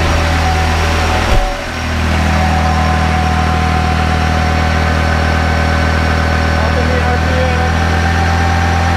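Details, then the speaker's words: Kubota B7100 diesel tractor driving a 7200 W NorthStar PTO generator on year-old diesel, charging a LiFePO4 bank, raised to 50% load at about 29–30 A: the steady diesel drone sags as load comes on, then holds. Engine speed drops under load. "it's got 29 amps 30 amps going up you can hear the RPM dropping already"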